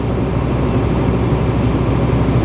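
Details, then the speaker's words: Jaw crusher running during a full inspection: deep, even rumble with no banging or thumping, and no movement in the tracks or chassis, so the flywheel is balanced and running normally. "Another thing to look out for is if you get any movements in the track, in the tracks or the chassis, that will give you some indication that the flywheel's out of balance. But there's no movement in it whatsoever."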